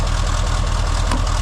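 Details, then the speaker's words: Old truck diesel idling: a deep, steady rumble with an even low beat and no knocks or rattles. The engine sounds healthy and runs fine. "Nothing wrong with this old girl."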